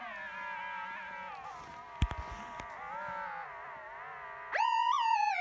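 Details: MacBook Pro: thin warbling whistle sliding up and down in pitch, then jumping higher and louder; odd tonal whine, cause unknown.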